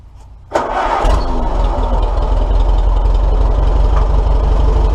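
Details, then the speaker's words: Old tractor engine with 150 psi compression in all cylinders; owner guesses worn valve guides and notes it smells quite a bit: brief crank, catches at once and settles to a steady, even low idle with no misses or knocks; normal start and idle. "so let me let me fire it up and you guys can see how well it runs"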